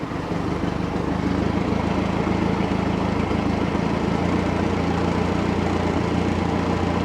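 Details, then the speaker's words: 1967 StarCraft Holiday boat sterndrive engine, first start of the year after spring tune-up, warming up with water circulating: low, steady, even idle with unbroken beat, no knocks or misses; running like a sewing machine. "running like a sewing machine man engine is so quiet"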